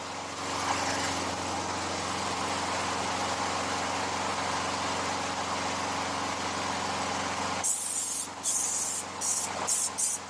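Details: Older Craftsman 22-inch mower, Briggs & Stratton 6.75 Quantum L-head, sat for years, after carburetor rebuild: steady, even hum at constant pitch, no misses or surging, then cuts near the end; runs fine though perhaps slightly low RPM.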